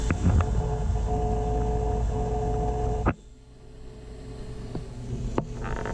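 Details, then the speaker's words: Taco SS circulator pump in a heated-driveway snowmelt system at 50–55 psi, freshly purged: steady low hum with a faint constant tone, cutting off sharply; owner unsure if normal or vibration carried through the pipes; pump hum. "so you can hear this pump it basically sounds the same it's a hum it might be normal and it might be the vibration through the pipes"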